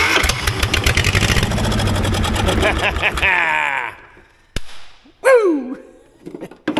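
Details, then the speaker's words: 1960s Caterpillar pony engine cranking after cleaning points and contact disc: fast even cranking that never catches; spark confirmed, no fuel reaching carburetor. "we got Spark the old girl's just not getting fuel set that choke to 100 percent try to pull some fuel up through this thing"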